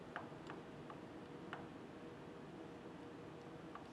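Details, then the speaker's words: Differential setup, ring gear rocked by hand after moving it closer to the pinion with the adjusting nut: faint, sharp irregular metal ticks; backlash reduced but still excessive ring and pinion backlash. "gear closer to the pinion gear and I've removed some of the backlash not enough you can still hear it"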